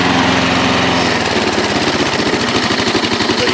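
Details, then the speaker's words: Junk single-cylinder mower started on a splash of gas. It buzzes steadily at a fast, even rate and carries on with no stumble or cut-out: the engine won't shut off, cause unknown. "well I went ahead and I put a splash of gas in this one just to see what what happens and pull this pretty good but it doesn't want to stop"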